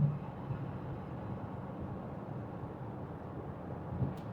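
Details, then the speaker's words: 2009 Land Rover LR2, Volvo 3.2 L inline six, 198k miles, not yet up to temperature, 60 mph in top gear at 1800 rpm: low steady drone with no knocks, whine or vibration; normal highway cruise. "60 miles an hour, settled right in to top gear, 1800 RPMs. It's quiet."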